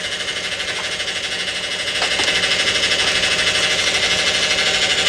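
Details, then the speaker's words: Dodge Avenger (believed), automatic that won't or barely shifts: steady high whine with faint pulse growing louder at idle; fluid low and burnt, indicating internal transmission damage. "that fluid is burnt guys we have internal transmission problems all right that is not good and that doesn't sound good at all"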